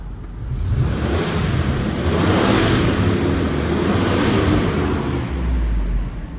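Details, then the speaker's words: Barn-find Range Rover P38 V8 idling: deep, even rumble under a lot of air noise, no knocks or misfires; healthy idle. "she does sound good I hope to film that from the back view and you get some of that V8 goodness but I am seriously impressed with this thing"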